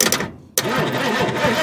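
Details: 1971 Ford Mustang fastback (possibly Mach 1) sitting over 20 years, starter solenoid jumped: clunk and brief silence, then the starter churns and the engine turns over steadily without firing; fuel pump found still pulling fuel; cranking after long storage.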